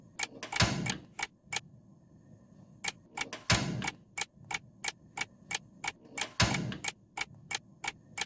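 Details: Gas stove after cleaning clogged burner deposits, lit repeatedly: sharp fast igniter clicks about three a second with a soft whoomp as the burner catches, full flame; normal ignition.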